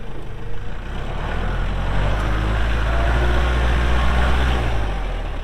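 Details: 2023 Kubota L4701 4WD tractor, 47 HP gear-drive diesel, only 98 hours: deep, steady diesel thrum with an even low beat around four per second, rising slightly under load; normal healthy running.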